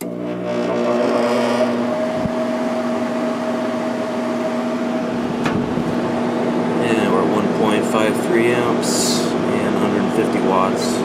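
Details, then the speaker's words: Sharp window air conditioner, fan motor with replaced ball bearings (originals were shot, oil didn't help), running on high speed: steady hum and even airflow, no growl or squeal, healthy bearings. "I replaced the ball bearings in this fan motor because the original ones were completely shot. Oil did not help. So, let me start it up on high speed."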